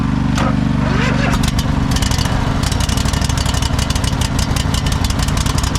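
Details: Cub Cadet GT 1554 V-twin mower, unstarted about 2 years, after carburetor cleaning, water removal, new fuel filter, flushed tank and fresh gas: brief cranking, then it catches and settles into a steady, even low rumble. Normal running.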